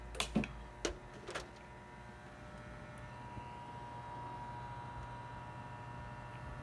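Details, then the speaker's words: Desktop PC with a steady whirring hum and faint whine, apparently from the back or top of the case, possibly the top fan. Cause unconfirmed. "it doesn't sound like the fans it's got loads of fans it sounds like it's coming from the back of the computer or the top of the computer"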